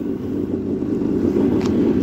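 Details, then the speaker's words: 2000 Yamaha XL800 jet ski, freshly rebuilt two-stroke with rebuilt Mikuni carbs, surges above 5000 rpm; returning to idle it gives a steady, even burble, idle is fine, air leak suspected for the surging. "look at that i come back to idle it's fine"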